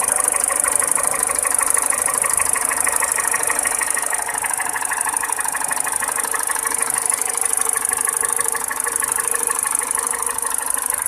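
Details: Peugeot 207 petrol engine at idle, steady clacking tick about one and a half per second over the engine hum; engine clatter, cause undetermined.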